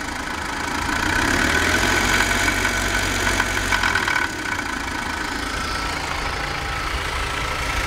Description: unrunder Motorlauf BMW